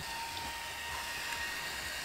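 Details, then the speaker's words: NF-A4x10 FLX 40x10mm fan newly installed on Tevo Tornado 3D printer; soft airy whirr with faint steady high tone, no rattle or buzz, very quiet; normal fan running. "look at that it's so quiet i love it i love it this is awesome"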